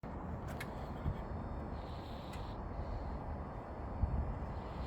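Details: Used "JDM" engine, supposedly under 58,000 miles with a new clutch and never run at full throttle, knocking after 6 days: low rumbly running with occasional dull knocks; teardown found the #3 rod bearing almost completely squished.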